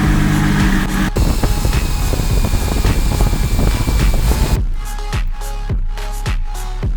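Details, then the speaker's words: BMW M340i xDrive, first start after fitting a Precision 72/75 turbo kit with dump valve, oil service and pre-cranking for oil pressure: fires with a loud flare, then drops to a smooth, steady idle with regular low pulses, no ticking, puffing or exhaust leaks. "The car sounds good. It's obviously idling healthy, as you heard, first start, bang."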